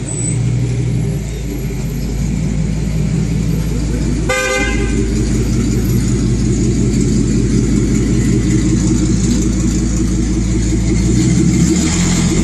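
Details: RoadAbode with its catalytic converter missing: deep, loud rumbling exhaust drone with a brief horn toot, the raw open sound caused by the missing converter.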